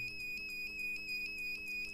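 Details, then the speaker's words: 1500 W power inverter under repair beeps steadily with red light, short-circuit alarm; MOSFET replaced with IRF740 but beep persisted, no voltage at output filter capacitor; wrongly fitted double diodes on the output suspected as the cause. "अच्छा, यहाँ पर beep आ रहा है और ये सही नहीं लगता है।"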